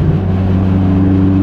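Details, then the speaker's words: Renault R5 Turbo 2 on road test, throttle reapplied at 2500 rpm below turbo boost: steady full drone pulling smoothly, no hollowness or strain, healthy off-boost pickup. "là, on a le côté agréable, voilà. On n'a pas la sensation que le moteur est creux, qu'il force."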